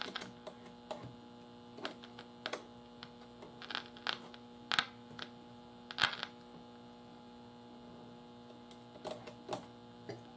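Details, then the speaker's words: Philco tube radio, garage-stored over 20 years, with new tubes and a new IF: only a steady low mains hum with scattered clicks; touching the antenna terminal adds no noise, so no signal passes through the set. "I'm getting no see when I touch the antenna terminal with this this blade it should you know should make a noise not making any noise so we're not getting signal through the whole thing"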